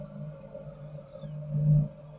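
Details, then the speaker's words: Campo 200,000 BTU heater on 25 ft, 1-inch hose, thermostat set about 80, purging air from the lines: steady low hum swells briefly into a soft roar as the flame catches, then settles; clean, normal burner light-off. "so it takes a second for all that air to get pushed out of the fittings and not of the lines you can hear the flame kicked in now"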